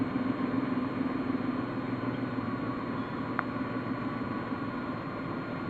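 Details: Ford EL Fairmont Ghia idling with an uneven, lumpy beat on both LPG and petrol and stalling frequently; owner suspects faulty computer or distributor, not confirmed.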